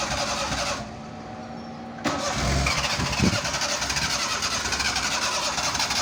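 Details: Car cold hard start with pedal pumping: short crank, a pause, then the engine catches on another try and settles into a quick, slightly uneven idle.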